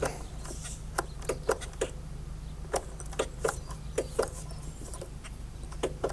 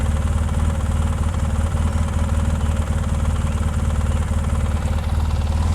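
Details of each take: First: 2004 Polaris Sportsman 600 Twin ATV, parked most of its life: sharp irregular clicks over a low hum, never turning the engine over. Starter clicking, no crank. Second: 2004 Polaris Sportsman 600 Twin ATV, long parked: low, steady thrum at idle with even beat, no knocks, misses or squeals; idling smoothly.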